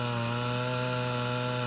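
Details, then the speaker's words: Mildly ported Homelite Super XL Auto chainsaw, 20-inch bar, cutting under load: steady scream with pitch level through the whole cut, holding RPM without bogging, unlike a stock saw; torque increased. "A normal Super XL Auto would definitely lose RPM in this kind of a cut, And this one is managing to maintain it, maintain the RPMs throughout the length of the cut."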